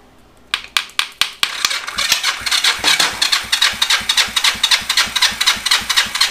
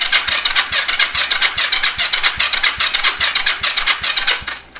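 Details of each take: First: Yamaha XS400 project bike, wet compression test with oil added to the left cylinder, reading far higher than the initial healthy 150 dry; starter spins about four pulses a second, each stroke pushing back firmly and evenly: strong cranking compression. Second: Yamaha XS400 project bike, compression test on the other side; slow, even cranking about two and a half strokes a second with a labouring whir, starter getting sluggish; owner considers swapping to a better-charged battery.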